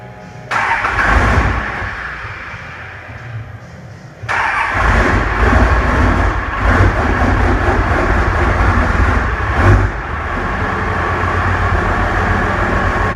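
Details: Dodge 12v Cummins after P7100 injection pump replacement and bleeding injector lines: about four seconds cranking, then catches and settles into steady even diesel idle; starts and idles fine, though owner reports sputtering at 1800 rpm free-rev.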